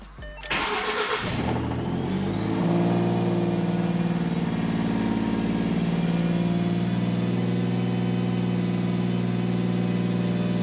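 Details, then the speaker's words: Carbureted engine started after an overnight job of hooking everything up: it cranks, catches and revs, then settles into a slightly uneven, lumpy idle with a wavering beat. It still doesn't sound right. "Sounds, I don't know. Still doesn't sound right."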